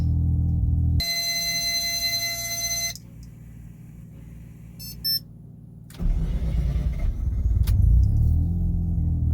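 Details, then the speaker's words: 1993 Mazda RX-7 FD rotary, 426 rwhp, hot start after driving, with new RX-8 starter and Antigravity lithium battery: brief crank, catches, settles into a steady, even burble with no misses or knocks; normal idle. "so we got the RX8 starter in and we have the anti-gravity battery let's see how it goes listen to this I'll start"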